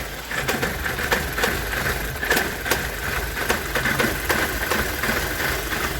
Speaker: let's take a look under the hood see if we can find something like a vacuum leak or some other reason for it to be misfiring like this well if you listen to that barely running shaking